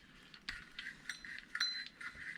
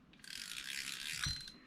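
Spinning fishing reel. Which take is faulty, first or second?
first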